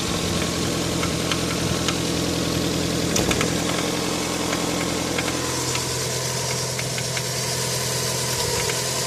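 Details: Toyota 7A-FE engine: irregular light knocks, three or four a second, over a steady idle; extraneous internal knock of unknown origin.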